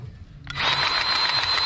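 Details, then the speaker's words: Powered grease gun greasing fittings on an old International cabover truck: click, then steady high light whine with no labouring as the motor spins freely; cartridge empty, out of grease. "uh-oh you know what that sound is out we're out"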